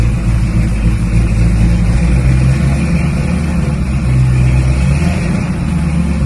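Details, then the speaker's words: HQ Holden ute with newly fitted 350 Chevy V8 and headers, first drive while running in: deep, steady, smooth V8 rumble pulling evenly with no knocks or shudder; the earlier bad vibration at 80–90 km/h is now gone. "the car has never run so smooth pour out this bad vibration at around about 80 80 90 k's now it's gone"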